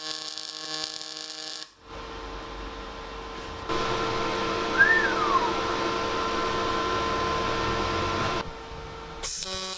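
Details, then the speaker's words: MIG welder on pulsed synergic settings for 3.2mm: steady crackling buzz at a fixed tone once the arc strikes, even and unbroken through the run; a healthy pulsed MIG arc. "This is Dale, the engineering manager down there, just laying down a pulsed feed on the synergic settings."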